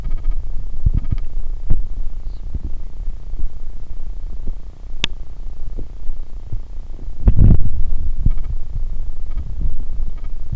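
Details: Logitech webcam microphone, recording through the Logitech program (no hum when recording with other software): a constant, loud, low droning hum with uneven throbbing pulses; cause unknown, grounding suggested online but not tried.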